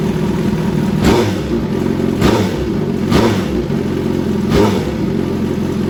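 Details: 2013 Suzuki GSX-R1000 Commemorative Edition restarted after an oil change: four clean throttle blips about a second apart over a smooth idle, no clatter or ticking; engine sounds healthy, normal running.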